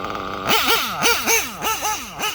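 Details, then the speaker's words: Reds nitro engine after richening the too-lean bottom-end needle about 3 hours; quick clean throttle blips, about six in two seconds, rising and dropping evenly without stumbling, now smooth. "The bottom end was way too lean, so I rinsed it up probably about 3 hours. You see how smooth it is?"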